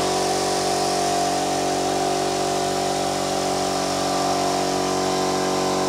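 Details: Kraftdekker KD-50L air compressor filling its 50-litre tank; steady, even motor and pump drone at constant pitch with no knocks or rattles; normal running.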